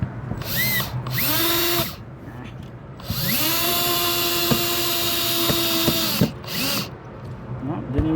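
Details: Drill the user was trying to put on the clutch setting while working on a water park mat racer slide: it whirs in bursts at a steady pitch and keeps driving with no ratcheting clicks; the clutch did not engage, and the user suspects the clutch is bad.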